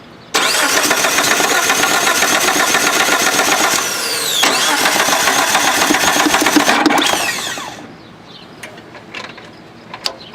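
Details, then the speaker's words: Car cranks evenly for about seven seconds at nearly four turns a second but never fires. The starter is brand new, the battery is good, the timing belt is reportedly in time and the clutch safety switch is ruled out; cause unknown. "because it's trying to turn it did was trying to turn yeah won't fire up it's also a brand new starter yeah so we know it's not the starter it's not the battery"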